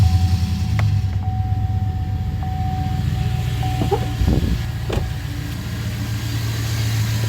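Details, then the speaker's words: 2009 GMC Sierra 5.3 V8, warm idle after all 16 lifters were replaced with AFM/DOD replacement lifters to fix a collapsed AFM lifter tick. The idle is even and smooth with a low burble, and the tick is gone. "as you can see had to run a little oil through the engine you know get it warmed up a bit but the tick is gone she is running like a champ"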